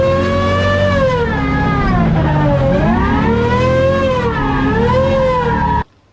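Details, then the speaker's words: Nissan S13 original rear differential (4.3 ratio, same as the replacement R180 welded diff) making a very loud whine that rises and falls with speed. Owner wonders if an LSD sensor inside is involved; the cause is unconfirmed. "So I got a new welded diff here. It's a R180, just 4.3, which is the same that's in this one. Apparently in this S13 there's a LSD sensor inside of the diff, so it'll be interesting to take it out and see if it is, and see why it's whining so much, because it's bloody loud."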